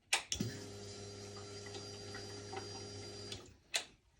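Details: 2011 Yamaha FZ6R after fuel pump replacement for a no-prime problem: a click, then a steady low electric hum for about three seconds that stops cleanly; the new pump primes normally.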